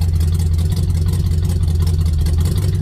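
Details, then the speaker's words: 1967 Chevelle V8, budget-rebuilt engine with new rings, no choke so kept running: deep idle with an uneven, loping pulse and slight stumble; owner suspects a burnt valve, heads may need valve guides, unconfirmed. "But being around metros all my life, you kind of get used to what a burnt valve sounds like, and that's kind of what it sounds like."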